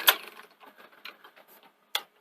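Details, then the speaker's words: Akai VR-X475EGN multi-standard VHS recorder, low hours, during playback: faint irregular ticking and sharp clicks from tape mechanism, odd clutch noise, also knocking; damaged or obstructed gear tooth suspected, not confirmed. "but it's a bit weird because obviously there's that strange sort of clutch sound you can hear when it's sort of playing"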